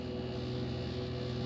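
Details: Rear Dometic RV air conditioner on cool, fan set to auto, temperature turned very low: only a steady low compressor hum with no fan whoosh, as the fan won't come on in auto; a faulty thermostat is the cause, to be replaced.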